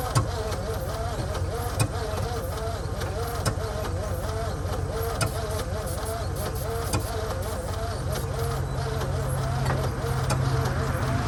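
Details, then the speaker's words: 1949 Ford shoebox sitting 50 years, timing rechecked and advanced: slow, uneven cranking under three turns a second with occasional weak firing, never catches; slow cranking, no start. "all right that's it as you can hear it's firing it's trying a little bit it's cranking slow still"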